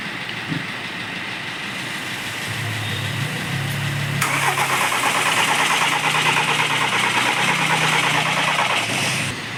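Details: VW Jetta 2.0 TDI diesel, crank no start with no fault codes: starter turns the engine over at an even three beats a second but it never catches; faulty crankshaft timing gear, fixed.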